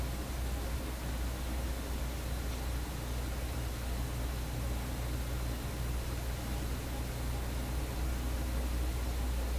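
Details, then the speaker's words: Vacuum tube PA amplifier: a constant low mains-type hum under a steady hiss persists after disconnecting the suspected source, barely affected by the volume control; amplifier hum from an unknown source. "Come on, man. There's another bloody hum in this thing."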